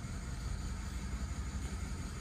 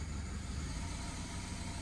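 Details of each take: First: 2008 BMW E90 318 misfiring at idle; an actuation test that cuts out injector 2 makes the lumpy, uneven running clearly rougher. The faulty injector was then replaced with a used one. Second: 2008 BMW E90 318 petrol with multi-cylinder misfire, during injector actuation test: after the injector is switched back on, idles with a steady low thrum free of stumbles; the faulty injector was later replaced.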